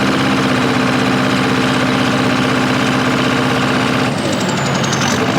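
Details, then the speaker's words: Old bulldozer diesel lopes unevenly at idle, irregular lumpy beat about four per second, lacks power in first gear, seemingly running on three cylinders; fuel starvation suspected, not confirmed. "that ain't right man it's only running on three cylinders no way yeah yeah I went into the pile and you know first gear and it just doesn't have any power you can hear it loping"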